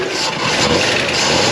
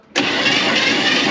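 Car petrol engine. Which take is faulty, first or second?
first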